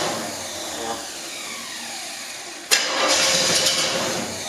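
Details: Freshly built 402 big-block Chevy in a GMC, first start, distributor just adjusted: starter cranks with rough hiss and a sudden burst but never catches; cranks and won't fire, timing suspected.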